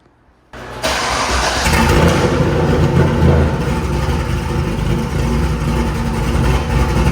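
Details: 2000 cammed C5 Corvette after a new crankshaft position sensor fixed having to crank twice to start: starter catches within a fraction of a second and the V8 settles into a steady, even, lopey idle with no hesitation; healthy.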